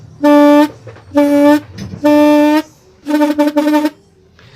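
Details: Yamaha RX-King two-stroke reed valve reassembled after leaking at all four petals, which caused poor idle and bogging: four hard blows through the reed block each give a clean, steady buzzing tone, so the petals now sit flat and seal fully.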